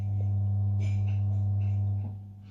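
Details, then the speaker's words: Budget amplifier driving a 6-inch subwoofer with no signal playing, which also pops at switch-on and hisses: loud, steady low hum around 100 Hz through the sub, then fading away; mains-type amplifier hum. "and if you've noticed there's a hissing sound so listen and then there's a humming sound from this over to"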